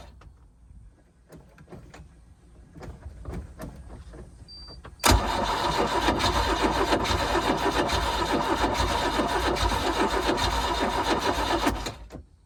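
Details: 4.3 MerCruiser boat engine with a recently swapped starter, which ran twice at the lake then shut off; tried after priming. Steady cranking at about 3.5 beats a second that never catches. Owner suspects heat soak, not confirmed.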